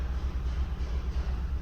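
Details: 2015 Kia Cerato shaking constantly at idle: low idle with an uneven, lumpy pulse and periodic dropouts; scan tool misfire counter shows cylinder 4, spark plug looked fine.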